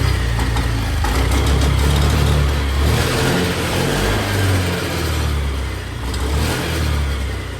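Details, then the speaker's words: Honda Activa BS6 scooter, won't take revs despite new original petrol filter, no MIL light: engine revs unevenly, exhaust beat stumbling and cutting out under throttle; misfire. "देखिए ऐसे हो रहा है, यानी missing type से, झटके type से ले रहा। कभी रेस पकड़ रही, कभी नहीं पकड़ रही।"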